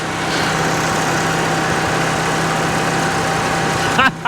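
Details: Salvage RV generator with DTX P55 extended-performance carburetor, just started: steady, even engine drone for about four seconds, then the note breaks up and drops away as the set quits; stalling after start, cause unknown.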